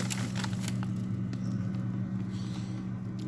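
Steady low refrigerator hum with a few sharp, irregular snaps and cracks; normal plastic movement in a frost-free fridge.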